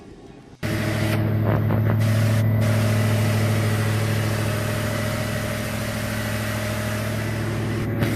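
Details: 2007 Ford F-150 5.4L V8 after timing chain rebuild, high-pressure oil pump, new coils and injectors, and cam phaser lockout with tune: smooth, steady low hum with no stumbles; cylinder 1 misfire, caused by a broken spark plug, now fixed.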